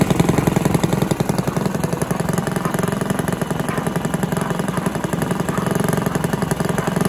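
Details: Villiers petrol engine on an old Barford cement mixer, no choke, small single-cylinder chugging at a steady even beat, no knocks or stumbles; compression not excellent; normal running.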